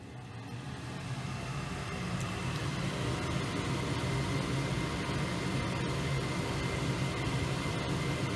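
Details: Goodman gas furnace firing up after its gas valve was replaced on a no-heat call; steady, even burner roar with a low rumble and no popping or surging, running smoothly, though gas pressure sounds a little high.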